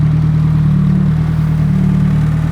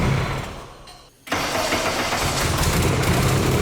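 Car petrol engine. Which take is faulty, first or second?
second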